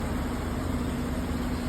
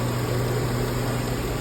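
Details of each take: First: Chevy Silverado 1500 5.3-liter V8 4x4 idling with flashing check engine light; uneven loping beat with occasional stumble over steady rumble, cylinder misfire. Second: Chevy Silverado 1500 5.3 Vortec 4x4 after repairing a misfire that had the check engine light flashing; light now off: steady, even V8 idle with a smooth low hum and no ticking or stumble; engine running healthy.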